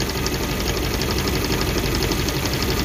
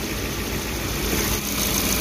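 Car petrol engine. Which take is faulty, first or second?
first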